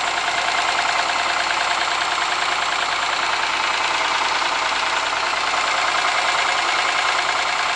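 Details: Ford Sierra engine ticking over at idle with a steady, sharp tapping knock about twice a second; internal knock of unknown origin.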